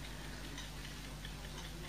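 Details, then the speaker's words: 1972 Ford Cortina Mk3 GXL Kienzle mechanical dash clock ticks softly and evenly over a steady low hum; the mechanism runs normally, though it is unknown whether it keeps time. "I just couldn't recall if it kept time or not, but you hear it nicely ticking away. It's a lovely sound, very hypnotic sound on the clocks, an essential thing to have."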